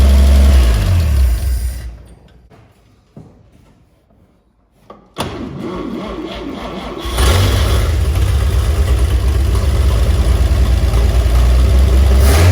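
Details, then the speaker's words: 1950 Chevy 3100 pickup, first start in 35+ years: cranks, stumbles and cuts out, then catches and settles into a steady low rumble; it runs, but worn points make it shut down after a few minutes. "So there we have it. The old Chevy does run."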